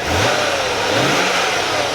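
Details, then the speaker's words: 1996 Chevrolet Corvette C4 coupe V8, about 64K miles: quick throttle blip, revs climbing smoothly with clean even exhaust note; normal healthy revving. "sounds really nice"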